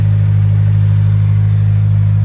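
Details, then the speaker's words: 2022 Subaru WRX Limited idling after an oil change with 5W-30 Motul, running a stage 1 tune with intake; steady, smooth low drone holding one pitch with no knocks, ticks or rattles, and no oil leaks. Normal idle. "Everything sounds good. Looks good. Everything's tight."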